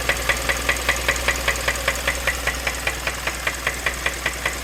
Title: 2015 Kia Optima Knocking Sound